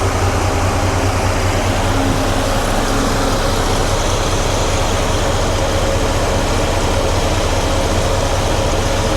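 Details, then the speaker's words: 1993 GMC Sierra C1500 with a 1994 Ford Taurus two-speed fan on a Delta Current Control controller, A/C switched on: steady whooshing air over a low idle rumble, even and without rattles; fan running normally on low speed. "Now, I'm going to turn it on and uh the fan the low speed should kick on. All right, let's give it a try. Okay, let's see. All right, so I can hear it. I can definitely hear it."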